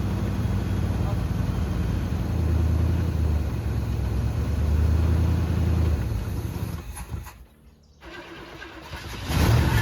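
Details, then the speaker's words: 1974 Chevy C10, Quadrajet carburetor: low rumble with an uneven, lumpy beat that sags and nearly dies; rough running, cause not found, so the carb top was taken off to inspect. "Well, it wasn't running right, so we took the top of our quadrijet off."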